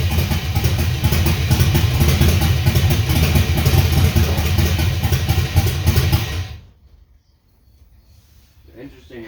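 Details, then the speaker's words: LS-swapped 1979 Ford F-150 dump truck: heavy, lumpy idle thumping about four beats a second with ragged rhythm, then shut off; misfire because one ignition coil was left unplugged, dropping half the cylinders. "I forgot to plug this coil back in. So that was half the cylinders."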